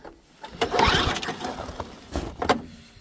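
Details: Ariens ST524 snowblower with dirty oil, fresh gas after a dry tank, primed, key on, choke on: two short pull-start bursts spin the engine over, but it never catches into a run. It cranks, no start.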